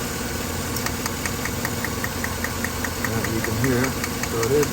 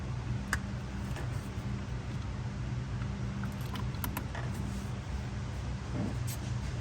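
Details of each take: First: 2013 Chevrolet Silverado 5.3L with P0300 and P0521 codes, flashing check-engine light, idling: a rough misfire with sharp, even snapping ticks from cylinder 3. The coil is firing, so the misfire points to a faulty spark plug; compression is 131 psi. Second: 2013 Chevrolet Silverado 5.3L after replacing broken, dirty spark plug (had P0300 misfire, flashing engine light, P0521): steady even idle hum, zero misfires, smooth on all cylinders after repair.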